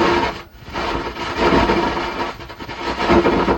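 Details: 120 W amplifier: an irregular rumbling crackle with rising and falling hiss persists with the audio input wire disconnected, so the fault is inside the amplifier; volume shorting was suspected, source not yet found.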